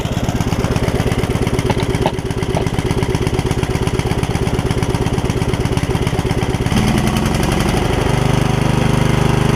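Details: Yard Machines riding mower engine, revived from a water-filled engine, thumps about three pulses a second, its tone shifting. Valves are still ungapped; there is smoke, and the owner suspects water is still coming out and will adjust the valves once it cools.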